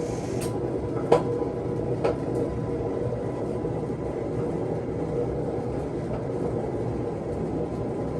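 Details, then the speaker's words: Samsung front-load washer over 11 years old in high-speed spin: loud steady rumbling roar with sharp clicks, getting louder, drum wobbling inside; worn drum bearing confirmed by appliance repair technicians. "you can see that is wobbling inside definitely a bearing issue I confirmed that with the appliance repair folks"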